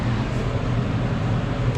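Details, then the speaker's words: Crown reach-in bottle cooler after securing the condenser fan motor with tie wraps: steady low hum with even airflow, no rattle, scrape or ticking; condenser fan running quietly. "as you can see everything is nice and quiet I can actually feel the airflow now which is great"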